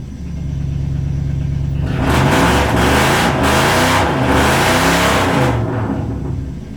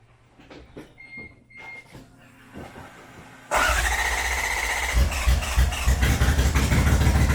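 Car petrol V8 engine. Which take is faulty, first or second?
second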